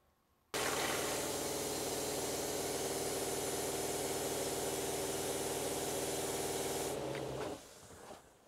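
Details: Shurflo RV water pump in a truck camper, relocated but still loud, at kitchen-sink full flow before quieting mods: loud buzzing drone with rushing water for about seven seconds, then stops. Measured 77.1 dB.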